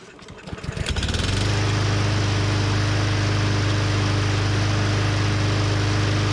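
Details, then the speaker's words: Husqvarna AWD mower with Briggs & Stratton 625EX engine, pulled from the trash: catches after a few uneven pulses, possibly while the carburettor bowl filled, then settles into a steady even drone with no misses; running normally. "Might have just been taking a minute to fill up the bowl. Sounds good."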